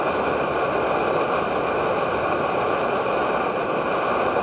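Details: Edward Hexon backpacking stove burning white gas (Coleman fuel), fed by syringe in place of its pump, heating 500 ml of water to a rolling boil: a steady, even hissing roar with no sputter or surging, burner running cleanly at full output.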